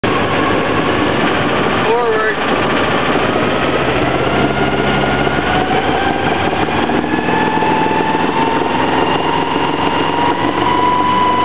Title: sailboat engine whine noise